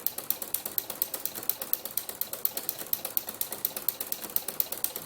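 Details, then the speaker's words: Inspire ruffler foot on a sewing machine, set to gather every six stitches with a 5 mm stitch: crisp, regular ticking about twice a second from the ratchet cog, steady with the stitching; the ruffler is indexing normally. "that's the difference in the noise because in fact clicking wheel that's usually a speech every 666 pitches"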